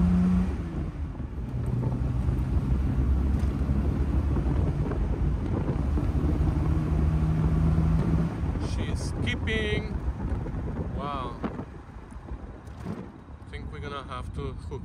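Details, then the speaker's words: 1973 Triumph TR6 on road test, ran well two minutes then began skipping; uneven engine beat stumbling about four times a second, misfire, owner suspects fouled spark plugs, not confirmed. "initially she ran well but that was for like literally two minutes and then she started skipping sounds like the spark plugs are fouled"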